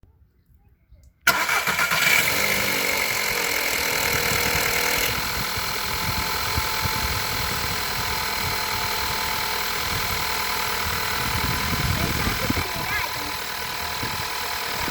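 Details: 2011 VW Golf 6 1.2 TSI on a cold start: harsh metallic rattle for the first few seconds before settling into idle; timing chain rattle suspected, not confirmed.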